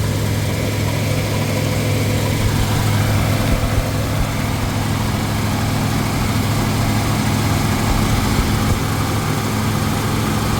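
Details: 1977 Ford F-150 idling during troubleshooting of a failed voltage regulator; 14 volts, owner suspects slightly high, battery had not been charging: steady even low rumble, no knocks, misses or squeals; healthy idle.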